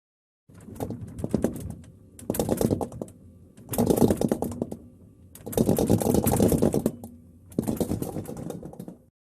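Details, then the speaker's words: LG refrigerator rattling in five bursts of fast, loose clatter over a faint hum; possibly because the unit is not secured to the floor and wobbles, worse when shaken while the compressor runs. "if you can barely push your refrigerator in it wobbles left the right front to back that can cause a rattling noise that noise can be compounded if the refrigerator is shaken while the compressor is running"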